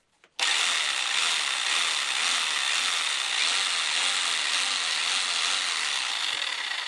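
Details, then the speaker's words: Einhell BBH 850/1 rotary hammer (850 W) after new brushes and a gearbox regrease with a liquid gasket for a leak: an even high-pitched buzzing rattle that starts sharply and holds steady, with slight brush sparking while bedding in. Hammer mode works normally. "nghe thấy tiếng đấm Máy khoan búa hoạt động."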